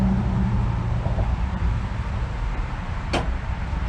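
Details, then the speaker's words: Allis Chalmers 410 tractor, first start in 8 years, running on two-stroke oil mix for upper-cylinder lubrication: steady, even low putter with no misses or knocks; sounds pretty good and healthy. "seems to sound pretty good"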